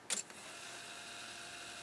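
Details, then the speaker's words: Harman Kardon CD 191 cassette deck after transport mechanism repair; click on engaging, then smooth even high whir on rewind, no dragging, squeal or slipping, normal. "perfect fast forward perfect play excellent so everything's working good now um i don't have any weird noises any dragging anything slipping"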